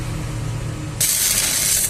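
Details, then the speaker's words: Lakoni 120E MMA stick welder that had a weak arc, after replacing the potentiometer and resoldering the current-control PCB, 54 V output, at maximum current: low welder hum then loud crackling hiss as the arc strikes; strong, steady, normal arc. "Apinya sangat besar teman. Bunyinya pun beda ya. Saat ampere maksimal sama yang tadi, bunyinya sampai kercek gitu ya."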